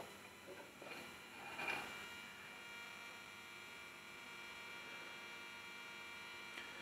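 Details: Marantz 7 clone preamp board, warmed up, gutted cabinet: steady electrical buzz with faint high whine (whine likely wireless mic); mains hum on one channel from board sitting near power transformer, layout change needed.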